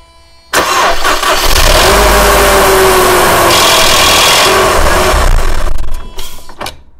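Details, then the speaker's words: Mercedes M111 engine after sitting over five days, cold start: harsh clattering rattle fading within seconds, likely hydraulic lifters starved of oil; heard before an oil change to thicker Liqui Moly MoS2 oil. "The cause of this is most likely oil starvation of the hydraulic lifters. It only takes a few seconds for oil to reach them, but the noise is still a bit unsettling."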